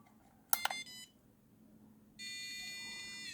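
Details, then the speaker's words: Homemade fixed-wing FPV drone motion controller tilted past the buffer zone (dot turns red): a few sharp chirps, then a continuous high alarm tone whose pitch changes with movement to help orientation, stopping only when levelled. "This is now emitting an alarm, and the only way to get this alarm to stop will be to put the controller back to level, like that."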